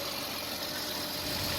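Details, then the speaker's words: 2007–2011 Jeep Wrangler 3.8L V6 idling after both cracked exhaust manifolds were replaced: a steady, even idle hum with no ticking or puffing at the manifolds, no exhaust leak. "and there is no leaks anywhere. Engine sound is perfect, no exhaust leak."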